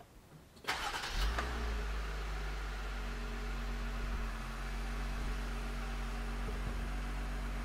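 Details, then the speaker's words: Jeep with a newly installed engine, first start via push button: quiet, then it catches right away and settles into a smooth, even idle with no misses or knocks. Healthy start. "did you did you hear that it just started like the carburetor didn't catch on fire we didn't like forget a ground strap"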